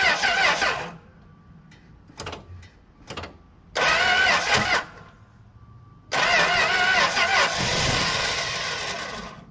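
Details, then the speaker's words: 1964 Plymouth Belvedere slant six with Holley two-barrel carb, sat about 20 years, plugs and points cleaned, cylinders oiled, spark confirmed: three bursts of steady cranking, never catches; cranks but no start. "getting some smelly gas out of it that's for sure some dirt in there not much fuel in the bowl see if it pops off again"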